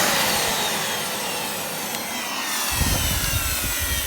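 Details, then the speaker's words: Miele Revolution 700 vacuum running with a steady, even air rush and a faint high motor whine; owner judges the motor a bit whiny but fine. "Yeah, the motor's a bit whiny, but it should be fine."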